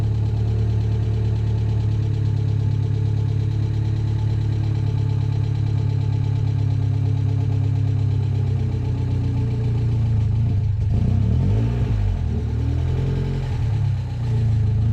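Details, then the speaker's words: Ford Sierra RS Cosworth first start after sitting hidden over 14 years: deep heavy idle, then lumpy and uneven after about ten seconds with wandering pulses; rough running, cause not yet found. "bit oh she's not a very happy girl she's"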